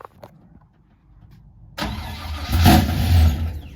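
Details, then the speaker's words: Nissan 350Z drift car freshly LS V8 swapped, first start via Holley after faulty keypad: quiet clicks, then engine catches, revs deep and strong and eases back; clean normal start. "Sounds like an engine."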